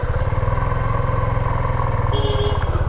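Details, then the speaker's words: 2024 Suzuki V-Strom motorcycle just after a cold start: fast, even thumping idle with steady firing and no knocks; healthy now, though the owner says the sound turns tractor-like after riding a while. "अभी तो sound सही है लेकिन जब ये चलने लग जाएगी उसके बाद आप साउंड देखिएगा देखो यह परफेक्ट साउंड आ रही है बाइक में जो भी साउंड सुनाई दे रही है ना आपको यह परफेक्ट है साउंड"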